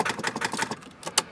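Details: Van that won't start: quick dry clicking about six per second with no cranking behind it; owner suspects a dead battery, not confirmed.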